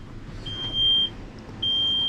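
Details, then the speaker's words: Kenworth T370 diesel truck, key on, engine off, code reader connecting: two long steady high-pitched beeps about half a second each in quiet cab; cab warning buzzer. "it's going to beep at us and annoy the out of us"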